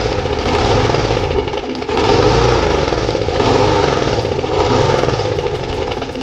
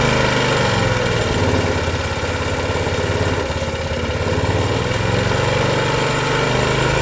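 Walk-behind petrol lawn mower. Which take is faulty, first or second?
first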